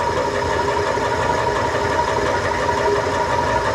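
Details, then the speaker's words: Old Craftsman 120V lathe after reassembly: steady motor hum with a constant light scuffing hiss and no knocks. The belt rubs because it runs at a steep angle; the owner may move it one slot over. "Everything's back on. That rubbing noise is the belt because it's at such a drastic angle."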